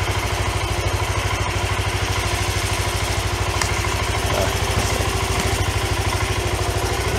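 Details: 1993 Yamaha Riva 125 scooter with a cheap GY6-type replacement carburetor. A steady, even putter at about two beats a second with no misses; it idles cleanly and holds speed.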